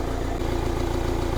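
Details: 2015 Renault Grand Scenic idling after alternator replacement, battery now charging at about 14 V (was 11.4 V): smooth, even low idle with a steady beat and no knocks, squeals or misses. Normal.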